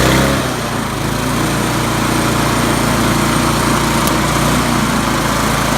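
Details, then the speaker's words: 1997 Murray 22" mower, 4HP Briggs Classic, idle fine-tuned by bending a linkage with pliers: single cylinder runs steady and louder with a firm exhaust beat, no misses, healthy. "so I'm gonna run it now and you're gonna hear it runs louder a better pasture"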